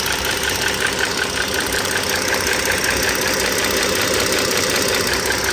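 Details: 2009 Dodge Journey SXT V6 (3.5 L stated, title says 3.6 L) idling, mic near the engine: quick, even ticking close to three a second, like valvetrain noise. Owner suspects the rocker arm assembly (two arms, two shafts), unconfirmed, and likely not pistons or transmission.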